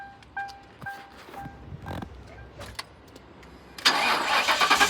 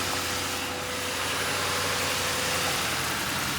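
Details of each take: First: 2005 Ford Crown Victoria Police Interceptor V8, suspected bad fuel pump, runs only about a minute on fuel poured into the intake; on a jump box it starts right up into a steady fast idle, engine sounds good. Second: 2005 Ford Crown Victoria Police Interceptor, 150,819 miles, suspected bad fuel pump, running on fuel poured into the intake: steady, smooth idle with no knocks or misses, AC compressor not yet engaged; engine sounds good.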